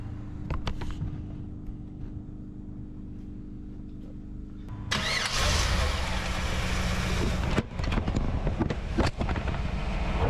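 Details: 1994 Chevy Camaro Z28 5.7 L LT1 V8, first start after Optispark distributor replacement and cooling system refill and bleed: starter whirs, engine catches and settles into a steady, even idle with no misses or knocks; healthy start.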